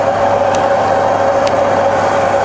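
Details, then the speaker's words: Rebuilt Bridgeport mill on 240V single phase, head in high range at about 800 rpm, quill power feed engaged and stepped through three feed rates: steady mid-pitched mechanical hum, even drone, no knocks or grinding; normal quill feed. "so engage the quilt you see the handle feeding down now so for every spindle speed you got three different feed rates"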